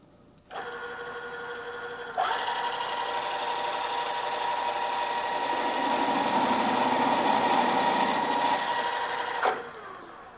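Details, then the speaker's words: Drill press stepping up to a half-inch drill toward a one-inch hole: motor hum turns to loud ringing, buzzing chatter as the drill deflects and jumps in the hole, indicating spindle speed too high; lower speed fixes it. "you can hear that noise it's called chattering and that's caused by the drill deflecting and jumping around the hole as it's coming in contact with the part this is usually an indication that i'm running the drill a little bit too fast"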